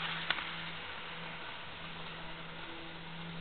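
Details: Jouef Amtrak RTG Turboliner model train, rebuilt with a Kato F-3 diesel drive replacing a worn-smooth worm gear, first test run at about 50–60 scale mph: faint steady motor hum, no clicks, grinding or surging; runs smoothly.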